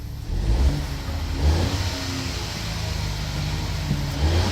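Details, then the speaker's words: Ford 1.0 EcoBoost after exhaust flexi pipe repair (previously blowing, clamp fitted reversed and bolted): revs up and settles with a clean, deep exhaust note, no puffing or rasp; exhaust sealed, no more race-car sound. "So anyway, there's old Flexi. Hopefully it's all good. Well, that sounds better, doesn't it?"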